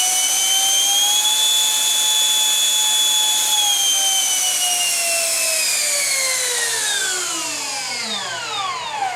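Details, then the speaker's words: 50mm EDF RC F-16 with a fan motor balanced by a friend: smooth high whine holds steady at full speed, then falls cleanly as it spools down, with no rattle or wobble; healthy fan. "I had a friend of mine in Southern California balance the motor in EDF just to get the least vibration out of it and the most power out of it too. So it has an interesting low, smooth, high pitched sound."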